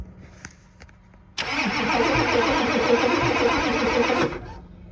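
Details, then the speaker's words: 1988 Ford F250 7.3 IDI diesel with ATS turbo, first start after about 12 years sitting: starter churns evenly at about 3.5 beats a second without firing while fuel drips from the filter; crank no-start from a holed, leaking fuel filter. "I hear a fuel leak I do not like. Oh wait, I see it dripping. Go. The filter is like leaking."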